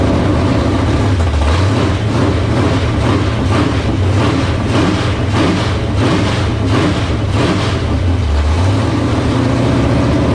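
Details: 1978 Dodge Warlock truck with a 360 small-block stroker, after the idle was raised. Steady, even loping V8 idle with light blips, firing on all cylinders; 75 psi oil pressure at idle from a high-volume oil pump.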